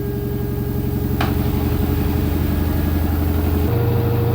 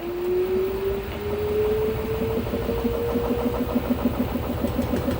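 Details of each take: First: LG F-1220TD washing machine after overhaul (new spider, all bearings and seal): spinning at 800 rpm, steady even hum with no grinding, rumble or knocking; normal smooth spin. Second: LG F-1220TD washing machine during spin: motor pitch rises as the drum speeds up, then steady thumping about three knocks a second as the drum bounces; bearings likely broken up.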